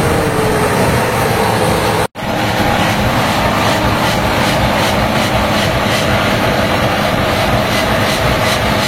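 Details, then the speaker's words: HB365 turbocharged diesel with an EGR-type turbo, tested at high idle after repairing a severe turbo rubbing noise by refitting the misaligned shaft holes: a steady deep roar with an even turbo hiss and no scraping or chirp. The turbo is healthy. "tes Nih setelah repair ya suara engjinnya bisa didengerin sendiri sudah tidak ada kendala lagi pada turbonya"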